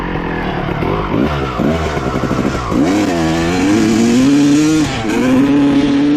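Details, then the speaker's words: 1995 Honda CR250 two-stroke dirt bike, power valves confirmed opening: blats then hangs and gurgles as throttle opens; still bogging, slightly better, cause unknown, leaner carb jetting next to try. "all right it's still doing the same thing basically um it's a little bit better but uh basically doing the same bogging"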